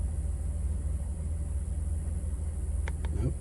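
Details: 2002 Chrysler Town & Country minivan, 3.3 L, after replacing faulty throttle position sensor that caused intermittent stall and bogging: low steady idle, no surging or stumble; TPS now reads 14% at idle versus 56% for the old sensor.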